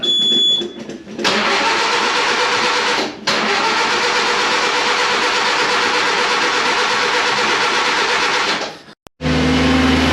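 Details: Premier 118 NE car that sat unused a long time: engine cranks, fires and runs, revs cleanly and drops back with no misses or knocks; starting and running fine.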